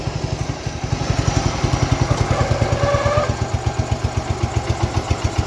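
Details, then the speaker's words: Abandoned 1969 John Deere 112, cold, single-cylinder engine at fast idle put in gear with rear wheels locked; steady thump loading slightly, faint rubbing squeal; drive belt slipping, owner suspects transmission locked internally. "the belt trying to turn so we're slipping"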